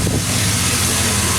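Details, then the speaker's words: 2001 Chevy Silverado 5.3 Vortec V8 with stock intake, before a Flowmaster Delta Force cold air intake install: steady running with a light, even belt-drive hiss and whir, no chirp or squeal; normal fan belt noise. "you know that fan belt noise that's that that's normal absolutely normal for this"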